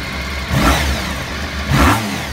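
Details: Honda RC30 VFR750R V4 after a complete engine overhaul (camshaft drive train, bearings, crankshaft with worn sprocket, cam drive gear, broken camshaft and gaskets replaced). Cold, just started on a little choke: fires and settles into a smooth idle with light blips, no knocks. Normal.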